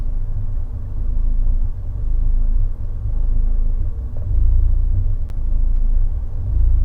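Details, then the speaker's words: Fiat 124 Spider 1.4L MultiAir Turbo, running about 30 minutes after swapping the cylinder 3 and 4 coil packs. A deep, uneven idle surges and sags about once a second with occasional stumbles while load swings from 23 to 40. Rough idle with a recurring cylinder 4 misfire at idle. "okay so that's weird very audibly I hear it you guys could probably see it there's no misfire but it sounds and feels like complete [ __ ] like can you see it and hear it"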